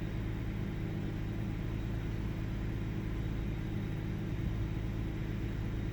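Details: 1998 Ford Taurus SE OHV V6 at idle, hood open: steady low idle with an uneven, lumpy beat and occasional firing stumbles. Intermittent misfire with mild rpm fluctuation; earlier swung 400-1000 rpm with no warning lights. Cause not pinned down.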